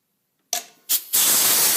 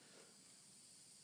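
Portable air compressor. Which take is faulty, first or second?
second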